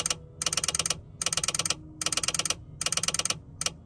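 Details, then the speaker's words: Relay wired to an Auxbeam AR-800 switch panel in a Ford Transit campervan 12V system, button set to momentary/pulse: quick bursts of crisp even clicks as it opens on hold and shuts on release; normal relay clicking. "the momentary you can hear when i hold it down it clicks open and when i close it it clicks shut which is what i want"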